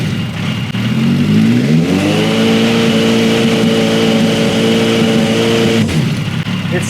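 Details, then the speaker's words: Long-sitting motorcycle engine, donor powertrain for a formula car, warmed up: revs climb cleanly then abruptly fall off around 6,000 rpm of a 10,000 rpm range; cooling system to be fixed first. "Oh, it kind of dies up top. That was like 6,000 RPM. It goes up to 10,000 RPM. It didn't like that. There we go. Yeah, it doesn't like the high RPMs, but we'll fix up the cooling system first and then we'll see if it'll go in this higher RPM"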